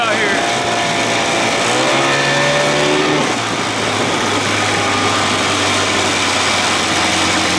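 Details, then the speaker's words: 1979 Evinrude 55 hp outboard, reeds inspected and compression tested: in neutral the pitch keeps climbing instead of dropping, then hangs high and wild; runaway idle, owner suspects a loose throttle cable not pulling fully down. "all right let's bring her down in neutral here it see goes i don't put it here real quick it's going to run wild now why could be the cables loose not pulling that thing all the way down"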